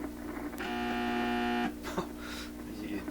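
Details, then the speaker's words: 1928 RCA Victor Model 28V tube radio, operating with power supply tipped up: steady low buzzing hum, fixed pitch with bright overtones; owner traces it to an unfiltered point in the supply. "to understanding why this radio is humming sound a little bit. That's quite disconcerting."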